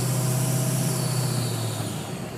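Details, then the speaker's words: Ford 6.0 Powerstroke diesel at idle, just after an oil cooler replacement. Constant airy whoosh and hiss with turbo whine over the rumble; boost is normal and the noise stops when the VGT plug is unplugged. Owner suspects an intake air leak, unconfirmed. "sounds like a turbo intake issue I can hear the high whining of my turbo like it used to be there's also that air so it's got to be air getting out somewhere"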